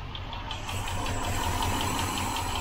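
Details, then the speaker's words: 1972 Range Rover A Suffix V8 idling in the workshop as it warms up: light, fast valvetrain tick over a soft idle, getting louder as temperature rises, after the rocker covers were off; cause suspected, not confirmed. "it's the workshop pixies the ticks come in now now it starts to warm up"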